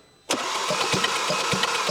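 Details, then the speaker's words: Audi RS3 8V, 2.5L five-cylinder, cranking during compression test on cylinder one: quick, even cranking with no labouring on compression. Zero compression, suspected valves hitting piston after timing jumped; engine needs stripping down. "did you see that zero compression on the engine on cylinder number one"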